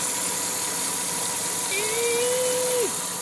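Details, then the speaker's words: Lexus running hot, with a coolant leak spurting and oil leaking around the engine: a hissy running sound with a thin, steady whine on top that briefly rises and drops off, attributed to the belts; engine whine. "Man, listen to those belts whine."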